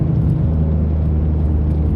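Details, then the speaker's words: Mitsubishi 3000GT SOHC with gutted catalytic converters, about 3,200 rpm, after earlier top-end flat spot; deep steady exhaust rumble pulling strongly under load without stumbles or rattles; engine breathing freely, response much better. "Third gear. Engine response is way better. I mean, it feels like I'm driving a totally different car now."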